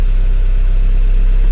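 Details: Vectra after gear shifter linkage bushing replacement, brake held while moving the selector through P, R, N, D: steady even low hum, no knocks or surges; no warning lights flash, engine idles normally.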